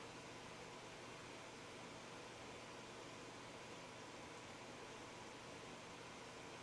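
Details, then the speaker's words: Vintage console under repair: steady, even hiss with no rhythm or pitch under the audio signal, color restored but noise remains; static hiss, sound pot adjustment planned, cause unconfirmed. "and I still got that white noise and no color. There's our color. But still that noise"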